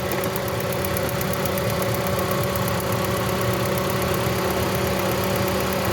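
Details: 2017 Toyota Corolla that broke down on the road: petrol engine idling unevenly with low thuds and shaking, a misfire traced to a faulty, shorting ignition coil.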